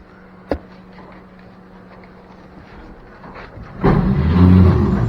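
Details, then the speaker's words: Original six-cylinder of a 1957 Chevy 3100 pickup that sat 57 years in a field, on the starter pedal: a clunk, then a free whirring spin with no cranking; the 57-year-old starter spins but the Bendix doesn't engage. "That sounds like the starter's not kicking out. 57-year-old starter spins. But the Bendix isn't kicking out."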